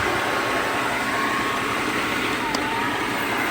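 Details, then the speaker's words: Completely rebuilt ALMACO small bundle thresher, blower fan switched to full-blast setting: constant rushing airflow with a faint steady whine, no rattles or scraping; blower running normally at full speed. "Now I'm going to hit the on switch to the blower fan here. It has two settings, variable speed, that would make it controlled by this knob here, or full blast. Then that renders the knob inert and it's just on full speed."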